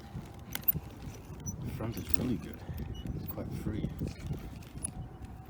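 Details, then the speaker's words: HPI Savage Flux XL rear Draco differential run with no oil, after three packs of aggressive driving, turned slowly by hand: a rough, gritty churn with small catches; dry and binding slightly. "So here's the rear. As you can hear, it's quite noisy, but the action is still there. A little binding here and there."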